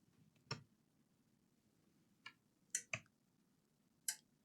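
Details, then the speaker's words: Toshiba PRO C50 laptop with a not-charging fault, charger input from a 19 V bench supply: sharp irregular clicks as the supply hits its limit of just over 3 A and drops to 30 mA; not a charging port issue. "I'm not sure if you can hear the power supply. I mean, it's going into the limit because the limit is like a little bit over 3 amps. It's dropping to 30 milliamps."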